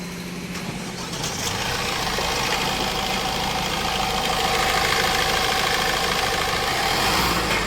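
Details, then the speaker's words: Mahindra Marazzo diesel: engine sound fully changed, no trouble codes, smooth even note with gentle revs and no tak-tak knocking; healthy running, road-tested without check light. "अब करते गाड़ी को start उसके बाद check करते हैं गाड़ी का साउंड पूरा चेंज हो गया नो ट्रिबल कोड"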